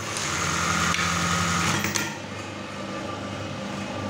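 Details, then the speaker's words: Brother 814 buttonhole machine, serviced and oiled, running fast and empty without fabric, set with gears 50 and 26: quick, fairly even clacking of the stitch mechanism, three to four beats a second over a light motor hum; normal running. "Hai handphone isinya adalah posisi ketika jalannya cepat sekali bunyinya juga lumayan ceklok ya karena disini juga kami service"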